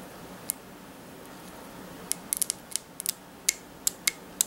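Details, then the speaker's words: Porsche 911 996 vapor purge canister valve bench-tested with a 9-volt battery: crisp sharp clicks in irregular bursts as the valve snaps open and shut on power, showing it works. "when you connect it to the battery it should make a clicking sound"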